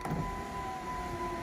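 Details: 2007–2012 Dodge Caliber door after repair, door panel reinstalled. Even, steady window motor whir with no clicks, grinding or binding as the glass travels; normal operation.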